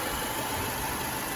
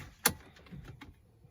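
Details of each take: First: Mercedes-Benz W212 M271 at idle after adding StopTech coolant stop-leak, with coolant level now stable: even, steady idle hum with no ticking; the engine runs normally and quietly with the lifters quiet. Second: Mercedes-Benz W212 with M271 engine, oil level full; after cranking, light fast even ticking about three a second from the top of the engine. Hydraulic lifter tick returned; coolant suspected of leaking into oil, stop-leak and oil additive just added.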